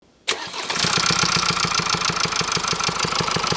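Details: Mercedes C222D diesel with 654-type engine, brought in for engine noise: fires up and idles with sharp regular tick about three times a second over the clatter, a noise that can lead to camshaft and engine damage.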